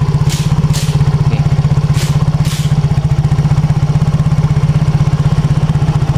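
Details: Yamaha X-Ride scooter after repair of heavy, sluggish running and harsh exhaust: even, steady putter of about four beats a second with no hunting or misfires; clean, stable idle.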